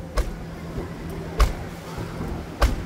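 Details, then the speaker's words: 2012 Toyota Hilux pickup, post-purchase inspection: three dull door-shut thumps about a second apart over a low engine hum, the latch closing oddly; abnormal door closing, another door also shuts strangely, advice to avoid buying such a truck. "vendo tá bem estranho esse fechamento de porta também então evite caminhonete desse jeito aqui"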